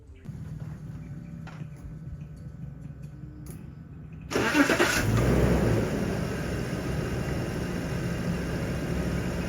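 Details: BMW E39 after a clogged catalytic converter, which caused cylinder misfire and lean codes, was replaced with a catless header: cranks, catches cleanly and settles into a smooth, even idle with no stumble or miss.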